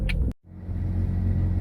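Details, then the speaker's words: Mazda RX-7 FC after MAF and TPS install, warmed up with temperatures leveled: steady low rotary idle with an occasional stumble, a slight misfire; check engine light back on, cause not confirmed. "you can hear a slight misfire overall it's not bad check engine lights back on"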